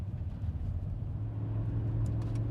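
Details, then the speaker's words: BMW E60 M5 (S85) driving after replacing both rear upper suspension arms and aligning, wheels torqued to about 90 ft-lb. Steady low road rumble on a smooth drive, steering straight, no clunks, knocks, rattles or wobbles; rear suspension quiet. "I'm driving down the street steering wheel is straight there's no weird noises yet there's no wobbles"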